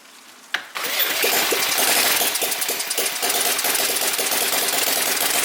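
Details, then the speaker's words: Small Whippet flathead model engine on a test stand, water pump plugged in, just started: catches with a pop, then fast, crisp, steady ticking patter with audible water pump, no misses; running healthy. "Sounds cool, huh? You can hear the water pump going on there."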